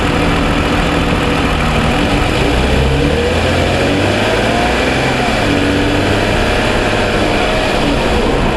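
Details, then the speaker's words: 2007 Toyota Sienna engine fully warmed after about 45 minutes driving: steady even idle, smooth low hum, no clear ticking that was present cold; normal warm idle. "you can hear the difference of how it sounds um comparing when engine's cold comparing when it's warm"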